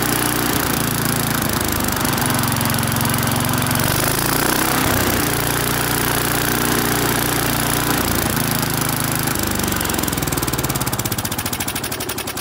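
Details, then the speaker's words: Briggs & Stratton-powered mower, on first start after fresh petrol: revs rise and sag every few seconds instead of holding steady; mostly runs well, surging suggests lean condition, possibly aged carburettor or air filter (suspected). "all right so the most part runs pretty good on that first start there there's a bit of engine surging in indicating maybe a lean condition"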